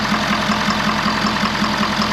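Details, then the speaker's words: 2011 Ford F550 6.7 Powerstroke diesel that keeps blowing return lines apart, steam visible: at idle a sharp knock about five times a second over the clatter; failed injector suspected, possible cylinder wash-down. "when we cranked it over we can hear a pretty [Applause] distinct sound I believe what that sound is is an injector has spiled"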